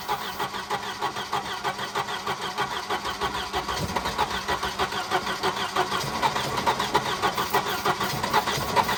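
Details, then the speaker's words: Wrecked Volvo 240 B230 engine after Pertronix ignition fitted: catches and chugs unevenly about three pulses per second, never settling to steady idle; rough running, owner suspects not getting enough fuel. "Well, it wants to run. This thing jumps around a lot."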